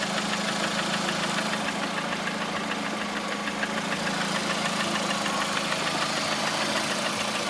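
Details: 2009 Lada Priora, 37,000 km, engine began knocking 500 km after adding Suprotec additive: steady idle with fast, fairly even tapping about three a second over the engine hum; knock of uncertain origin.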